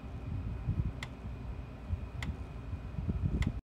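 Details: PEL 609 electric fence charger, 110-120 V, early-to-mid-1990s unit, after repair with the case back on: sharp single ticks about every 1.2 seconds, evenly spaced, pulsing normally.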